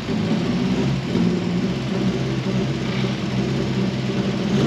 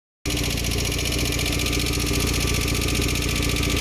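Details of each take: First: Mk1 Ford Fiesta S after a Zetec engine swap, on its first drive once the swapped idle control valve and injector plugs were corrected to stop over-fuelling and ticking: even, smooth engine note, steady low rumble, no ticking or stumble pulling away; healthy. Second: Ford Fiesta Mk1 with swapped-in Zetec engine, after camshaft replacement, idling: fast even ticking as the idle control valve pulses on injector signal, connectors swapped; over-fuelling from the valve stuck open.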